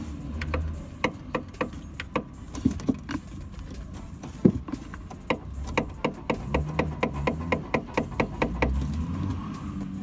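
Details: Suspension knocking on a 2-month-old Toyota Etios X Plus 2019 automatic sedan: irregular dull knocks and clunks, about two per second over low road rumble as the car rolls; dealer calls it a characteristic of the car, cause unconfirmed.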